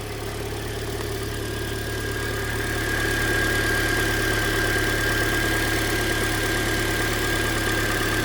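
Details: 2013 Hyundai Elantra, about 100,992 km, near yearly oil change, idling: light regular tick about three or four a second, found by stethoscope on cylinder 3 middle bolt; owner wonders lifters or piston slap, unconfirmed.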